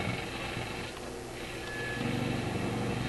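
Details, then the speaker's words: Grundig Transistor 1001 portable radio after push-button switch cleaning, indoors on long wave: hard, steady low buzz with fast rough pulsing over the hiss; strong outside interference, source not found. "You can hear some of that powerful interference right there. That's pretty powerful stuff."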